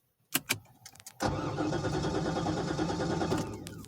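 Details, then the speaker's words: Corvette that won't start, battery being drained by something despite a new battery: starter churns about three beats a second for two seconds and stops, never catches; sounds out of gas though it has fuel, cause unconfirmed. "see that just sound like it's out of gas but it's gas in here"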